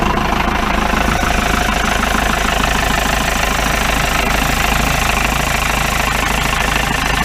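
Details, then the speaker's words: 1953 Mercedes 170D (W136) four-cylinder diesel, once-seized restoration project, idling: steady, hard, even clatter of about three knocks a second with smoke; owner suspects worn injector nozzles, unconfirmed. "cleared up a little bit i don't know i say new nozzles definitely not sound sweet though"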